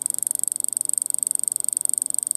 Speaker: and if you hear that clicking that's actually the rate of the capacitor dumping it slightly affects the frequency of the inverter and you could actually hear the the pulsing